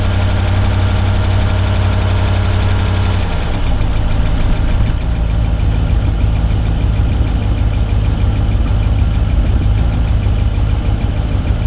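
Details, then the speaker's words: 2011 GMC Yukon Denali Hybrid, 168k miles, after timing work following a no-start: uneven, lumpy idle with irregular thumps and stumbles, no mechanical noises, like running on only a few cylinders; reduced power warning, misfire. "No uh no mechanical noises that I can hear. Sounds like she's only running on a couple cylinders."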